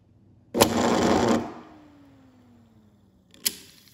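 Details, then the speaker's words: Single-phase split-phase AC induction motor on a counter: rattly start-up with immediate click as centrifugal switch disengages auxiliary winding, falling hum as it coasts down, then sharp click as switch closes normally. "so besides the rattling on the counter you can hear the clicking almost immediately and then as it spins and slows down it clicks back to its wristing position"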